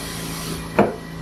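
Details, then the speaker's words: Morgan G-100T injection molding press, toggle clamp after adjusting in part turns: one solid clunk as the clamp goes over center and locks over a quiet hum. "did you hear that clunk okay I'm gonna engage it and it gave a nice clock when it went over Center"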